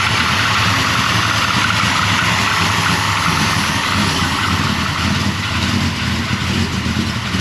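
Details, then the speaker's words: 1992 Chevy OBS 454SS truck with GM Performance 1000hp ZZ632 big-block and 3-inch exhaust, normal start and idle: loud, steady deep even burble, no knocks, ticks or misfires, though quieter than expected for its size. "Quiet. Like, it's a lot quieter than I thought, but when I looked at what mufflers they use, it's all 3-inch, but the muffler's like that big."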